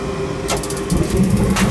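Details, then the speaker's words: Gas furnace that wasn't heating the home: a couple of sharp clicks, then a soft roar as the burners catch and stay lit, the third successful start in a row; normal ignition. "there she goes so that was three times we started it up successfully so I think you're pretty going to be all set"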